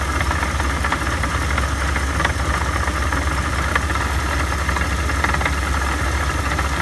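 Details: At steady idle after a supercharger rebuild, a constant high-pitched whirring hum rides over the engine with a faint irregular knock. The supercharger noise is abnormal; cause unknown.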